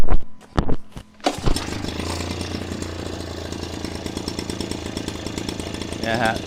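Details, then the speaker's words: KASEI two-stroke fertilizer/rice broadcast blower on 2T-gasoline mix, after a stuck carburetor float needle that stopped fuel flow was freed: a couple of quick starter pulls, then it catches and settles into a steady even buzz. Running normally after the fix. "ติดเรียบร้อยแล้วนะครับนี่ก็คือวิธีการแก้ไขนะครับเครื่องพ่นข้าวเนี่ยครับคาเซอิรุ่นนี้ครับ"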